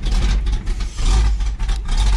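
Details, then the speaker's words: Big hog cam engine started cold on a frosty winter day after two pedal pumps, lights right off; loud, deep, uneven loping idle surging and dipping about twice a second, running fine before warm-up. "Neutral, give her a couple pumps, 2 pumps, lights right off, and idles. Listen to that hog cam, Duff."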